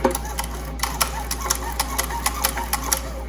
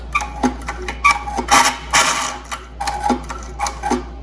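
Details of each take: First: 1972 Evinrude Fisherman 6 hp outboard recoil starter with new rope, after PTFE dry lube spray: light even ratchet ticking, no scraping or grabbing; sounds much better, smooth operation. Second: 1972 Evinrude Fisherman 6 hp outboard recoil starter with newly wound rope, before lubrication: irregular bursts of dry ratchety clicks and rasping as cord pulls and rewinds; sounds dry, needs lube.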